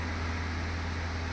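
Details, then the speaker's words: Toyota Etios Liva petrol engine after replacing all four faulty spark plugs (codes P0300/P0303/P0304 misfire): steady, even low idle hum with no stumbles, scanner showing zero misfires. "अभी देख सकते हैं एक भी miss fire नहीं बता रहा।"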